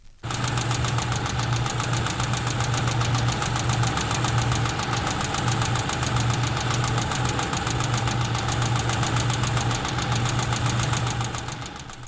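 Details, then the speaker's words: 1964-era engine-noise diagnostic recording: one badly adjusted tappet left with too much valve clearance between rocker arm and valve. Sharp even ticking, about four clicks a second, over a steady idle: tappet clatter. "Tapets which clatter have been left with too much clearance. Here is the sound of one tapet badly adjusted."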